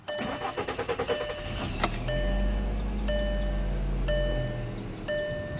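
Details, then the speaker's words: 2010 Volkswagen Jetta SportWagen 2.5 SE, 138,439 miles, parked on a hill: about two seconds of uneven cranking before catching to steady idle; owner suspects gravity-fed fuel pump causes slow hill starts, cause unconfirmed. "I think the fuel pump might be gravity fed on this because it always, when it's parked on a hill, it always takes a minute to start."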